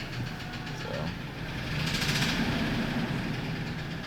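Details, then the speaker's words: F-150 with 180,000 miles, idle: irregular knocking over rough idle with clatter, getting louder; valve train suspected (possible broken rocker) but unconfirmed; replacement engine advised; engine knock. "I think it's just better off putting a motor in it and it's it's getting louder and louder"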